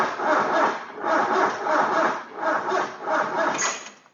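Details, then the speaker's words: KE20 Toyota Corolla left sitting since the early 90s, with oil and charge lights on: the starter drags through slow, heavy turns, barely one per second, with no firing. A connection is warm and the battery is suspected weak, so a different battery will be tried. "Anyway, maybe this battery's not very good. Let's try a different battery."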